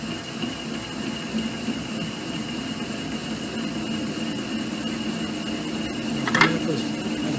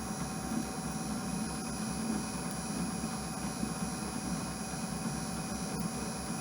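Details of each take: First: Clausing/Harrison M250 lathe at about 240 rpm with a new reverse parting tool holder, imperfectly mounted, cutting through the outer surface. A steady cutting noise gives way to a wavering ringing tone that builds and holds as the cut deepens: parting tool chatter. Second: Clausing/Harrison M250 lathe on carriage power feed, slowed to 52 rpm after the feed clutch popped from going too fast, same setup. A steady drone with constant whining and no clunks or chatter: normal power feed cutting.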